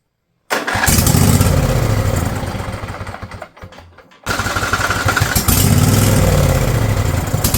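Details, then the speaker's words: Husqvarna riding mower, Briggs & Stratton Intek V-twin, over 900 hours, new battery: catches on cranking, surges, sags and nearly dies, then flares again; getting fuel but not running on it. "it's getting fuel it's just not running off of it I don't know what he trying to do violent what is it trying to do"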